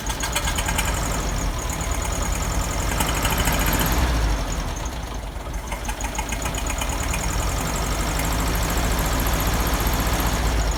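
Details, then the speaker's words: VW Beetle air-cooled flat-four, still slightly choked, just fitted with a used reproduction Kafer 34 PICT-3 carburettor replacing the 30/31 PICT, with a heavier spring: uneven, lumpy idle. Carburettor needs adjustment. "well definitely gonna have to adjust the carburetor it does work I think I like the heavier spring on there"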